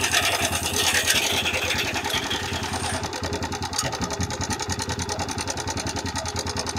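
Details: TVS Raider 125 motorcycle single at idle with "tik tik" ticking problem: quick light tick over the exhaust beat, roughly three or four a second; top-end ticking, cause not pinned down.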